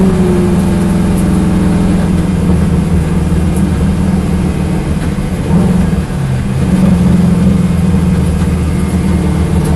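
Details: Corvette V8 at idle: a deep idle with an uneven beat and an occasional stumble around midway, consistent with a misfire at idle.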